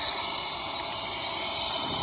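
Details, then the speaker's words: Toyota Tundra leak-down test on cylinder 3, piston at top dead center on the compression stroke, engine not running: a steady high airy hiss as compressed air bypasses the valve seat, with soap showing the leak; a lifter also looks suspect. "soap down there so we can see what's going on and you can see how it's just it's bypassing the seat by passing the seat"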